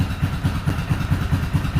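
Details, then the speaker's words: Yamaha Kodiak 450 ATV after no-start troubleshooting, warming up with choke partly on: single-cylinder lumpy uneven idle, some pulses heavier; has power on throttle, owner suspects choke or throttle adjustment, not confirmed. "yeah when i hit the gas she feels like she has power so it seems like it could just be like a choke adjustment or a throttle adjustment at this point this is a hell of a lot better than it's been"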